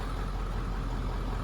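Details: 1996 Ford F250 7.3 diesel idling after AC recharge, AC blowing cold, about 70 °F outside: low, even idle rumble with a steady beat, no knocks or surging; idling normally.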